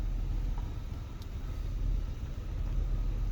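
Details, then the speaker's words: After power steering repair (whole steering part replaced, fluid refilled, no bubbles): only low steady engine rumble while steering, no pump whine or groan; steering now very light; normal power steering. "so that powered steering it's finally so much better i could do this with a pinky now"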